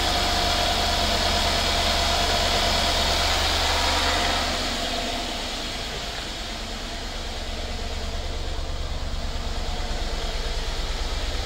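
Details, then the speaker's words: 2016 Mercedes-Benz S550 W222 V8 after spark plug and ignition coil service, connectors reattached: smooth, even idle with a steady low hum, no misses or shakes, idle settling from about 1,000 rpm before to about 800 rpm. "I can tell you that this thing already sounds 100% better uh the idle changed I think before the idle was some I think it was close to 1,000 RPM uh we're we're just at about what 8 800"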